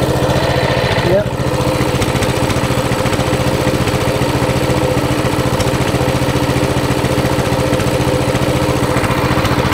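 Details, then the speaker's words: Coleman CT200 mini bike, small single-cylinder engine with non-adjustable carburetor, after idle adjustment to 1750 rpm; steady, even low chug at about two beats per second, idle correct, running normally. "1750. there you go that is how you adjust the idle"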